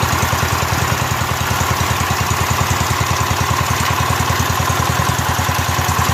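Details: Rebuilt Kohler K241 single-cylinder engine in a John Deere 210 garden tractor, first run after the rebuild with a new fuel line: a steady, even thump at idle with no misses or surges. Healthy.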